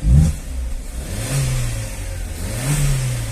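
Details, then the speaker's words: Car engine revved twice, smooth rise and fall with no knocks, misses or rattles; engine itself healthy, but the rusted cooling system won't circulate water because the water pump impeller is corroded; thermostat housing is fine. "ó o motorzinho o motorzinho tá filezinho hein meu agora só essa bomba aí que não tá legal"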